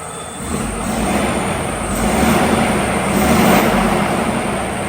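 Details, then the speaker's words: DAF CF85 HGV diesel after a fix for a compressor-like noise: steady even running, no whirr or knock; noise gone. "let's get our back on and then uh let's see if that fixes it let's try it well we ain't got that noise"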